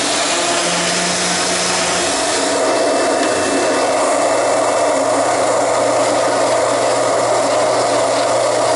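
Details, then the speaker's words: Sharp Twin Energy upright vacuum after a tune-up, with the brush roller run in and lubricated and the old filthy filters still fitted. A steady, even motor roar with an airy hiss and no knocking or scraping: running smoothly. "yeah that brush roller is moving smoothly now that it's run in there and I've worked some lubrication"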